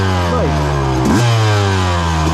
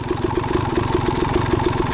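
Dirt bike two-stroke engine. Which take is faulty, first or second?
first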